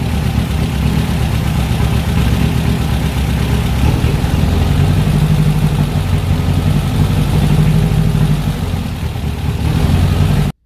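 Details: VW Fusca with TBI injection at idle: steady air-cooled idle whose rpm climbs for a few seconds when fuel is sprayed at the intake manifold base. This reveals a vacuum leak at the intake manifold gasket.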